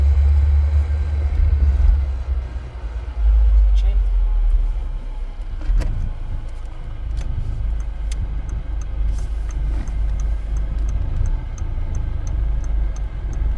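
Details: VW Passat B5.5 1.8T AWM after an automatic-to-5-speed manual swap, AC on, driving in gear: a light rhythmic rattle/scraping, about three to four clicks a second, rising with wheel speed. It seems to come from the bell housing and disappears with the clutch pedal pressed; cause unknown.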